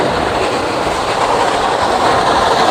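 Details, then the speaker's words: 5.5-ton AC indoor unit after a night service, earlier frozen cooling coil and low airflow, with a shorted wire fixed: steady, loud rushing air with no rattles, scraping or pulsing; blower airflow is strong and normal. "अभी मैं आपको दिखा रहा हूं इसकी आवाज से भी आपको पता चलेगा कि कितना तगड़ा फ्लो है।"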